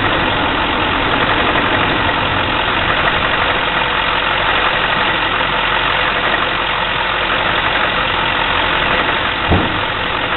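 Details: 2004 6.6 diesel truck idling with a dense rattly clatter and slightly uneven beat; rough idle.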